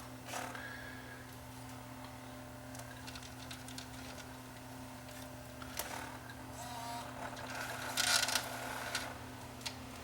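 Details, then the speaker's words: Panasonic SVHS-C camcorder during tape playback: steady droning hum with rattly bursts, whole camera vibrating, tape won't eject; bad head drum motor bearing suspected. Head drum bearing noise. "Wow that doesn't sound good that sounds bad that almost sounds like there's a bad bearing in this thing"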